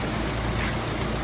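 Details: 1996 Mitsubishi Lancer Evolution IV GSR at idle after coil packs, oil, and alternator belt were changed: steady, even low rumble with no knocks, misses or squeals. Healthy turbo four idling normally.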